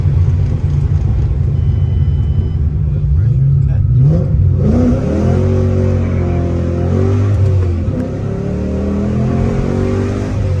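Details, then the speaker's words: Ford Mustang GT 3V 4.6 V8 after new engine, clutch, flywheel and headers install, first start: deep even burble rising and falling smoothly through revs, no knocks or misses; running healthy, clutch smooth. "So it ran really good. I drove it. Clutch feels smooth. Everything feels good."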